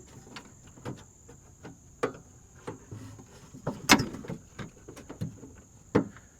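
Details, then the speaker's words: 2000 Toyota Camry CE passenger door after lock cylinder replacement: scattered sharp clicks and firm clunks as the power door lock actuator throws and latches into position; lock cycling normally. "All right, guys, so see, you can hear the door lock going. We've got it latched into position"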